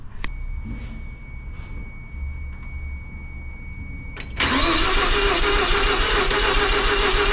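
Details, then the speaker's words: Mazda RX-7 sitting 20 years, fuel lines redone, both EGI fuses pulled to cut fuel, cranked to build oil pressure before first start; ticking and clicks, then steady even cranking whir that never catches; cranking without starting, fuel disabled. "So what I need to do is I removed it's all 2 like EGI fuses, and this is apparently supposed to make it so the engine gets no fuel, apparently. So I'm gonna probably do that, probably crank it for 30 seconds to a minute."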